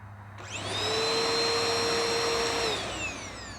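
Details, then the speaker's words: Bissell Powerforce Helix Turbo Rewind 1797 vacuum being refurbished, first power-on: the motor spins up to a steady, clean whine, holds evenly, then winds down smoothly; near perfect, with only some wear and tear. "okay I'll get it closer to my mic that's near perfect that is just not that bad at all"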